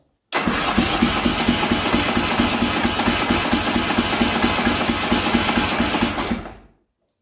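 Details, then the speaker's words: Racing lawn mower engine after a 2.4-hour race, compression test on the other cylinder, throttle wide open; cranking about two beats a second with even strokes and no weak puffs, reading 112–115 PSI, above the 100–110 spec; healthy. "This one is at a 112 115 PSI. So closer to eight bar, which is actually where I wanted. It should be between 100 and 110."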